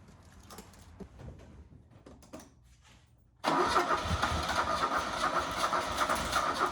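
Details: 1977 Fiat 124 Spider barn find, sat nearly 25 years, restarted with more fuel after it seemed to run out of gas, no radiator and water pump pulley disconnected: cranks and catches, then an uneven, lumpy idle with wavering beat; not running right.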